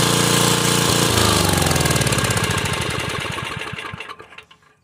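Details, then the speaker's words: 1984/1986 Troy-Bilt Horse 2412 rear-tine tiller, Tecumseh HH60 engine, after sitting years and running rough, after carburetor adjustment: single runs fast and even with no misses, then coasts smoothly to a stop; running clean. "do you think? Sounds better. That's all it needed."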